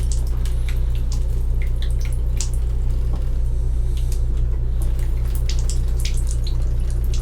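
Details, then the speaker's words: Gulf Stream Endura Super C motorhome (Duramax diesel) being rebuilt, water system refilled with the tap only partly open: irregular spitting and dripping water over a steady low pump hum as air sputters through the lines; hot water tank likely empty. "so there's going to be a lot of air in the system of course and I didn't turn that on all the way"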